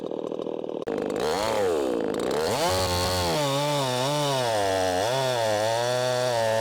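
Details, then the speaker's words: 50cc Echo CS501P chainsaw on its stock .325 chain and sprocket, leaned hard into a log: screams at high revs, sags a little each push, then pulls straight back up without bogging; normal, strong operation under load. "I mean, you can see you can really lean on this thing and it still eats."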